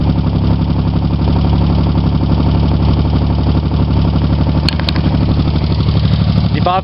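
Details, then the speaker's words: Chevy Sprint turbo 1.0 L three-cylinder, freshly rebuilt head, total cold start, straight pipe: rapid light ticking over a lumpy idle, valves set loose, to be tightened later. "valves are set up loose on this engine. I'm gonna tighten that up once I play a little bit more with it."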